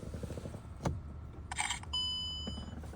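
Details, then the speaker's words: 2009 Mercedes C63 AMG (W204) after electronic steering lock replaced with a programmed emulator: faint key click, quick bright chirp, then a clear high steady beep under a second as the key goes in; emulator responding normally. "So this is what it sounds like when it's ready. Put the key in. You're going to hear the emulator chirp."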